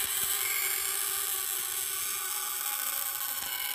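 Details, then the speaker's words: Half-scale Olds hit-and-miss model engine's small scale buzz coil, misadjusted: thin steady high buzz lacking a crisp strong rasp; weak, still probably some spark but not how it should sound; turned in too far it stops. "you're probably still getting some spark but that's not the way it should sound that's kind of weak like that"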